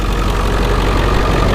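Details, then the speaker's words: Ford 7.3 Powerstroke diesel with brand-new injectors, after start: steady, even diesel clatter at idle, constant rumble, no misses or shake. Normal diesel idle. "this is my best example guys of what it should sound like what it should look like motor shouldn't sit there and Shake"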